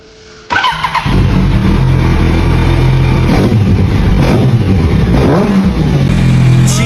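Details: Yamaha R1 parked two years, after refurbishment (rusted starter repaired, leaking tank fixed, new plugs, cleaned throttle body, fresh oil, coolant, 98 fuel): catches instantly, strong even burble with crisp throttle blips; healthy.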